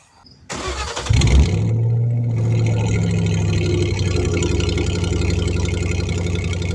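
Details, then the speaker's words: Ford Mustang GT after timing chain job, coils possibly swapped; number four cylinder misfire code. Starts into lumpy idle, uneven stumbling beat through revs, misfire coming and going and seeming to clear; bogs under load; cause not confirmed. "still just not quite right i mean a little bit of a misfire there seems to clear out though kind of weird"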